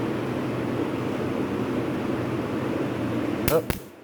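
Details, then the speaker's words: Wiring a 19 mm 5-pin LED toggle switch to a 12 V relay: steady background hum, then two sharp snaps a fraction of a second apart as a live wire is shorted while hooked up the wrong way. Short circuit spark. "See what happens when you play with electricity, trying to do too much at once."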